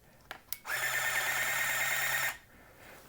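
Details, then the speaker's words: 1981 Radio Shack EC-3006 thermal printer calculator after repairing battery-leak damage, powered up again: steady whirring run of about a second and a half with faint high tone; printer mechanism works. "so 1 10 000 minus 100 equals it works it works we've got it fixed"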